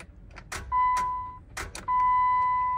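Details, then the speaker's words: Jeep Wrangler, automatic, about 70,000 miles, rebuild project, battery just reconnected, in park: key turned gives a few sharp dry clicks and a steady warning chime with no cranking; electrical issue, and it later started when the brake pedal was pressed. "okay so there is an electrical issue it's not starting listen to the click"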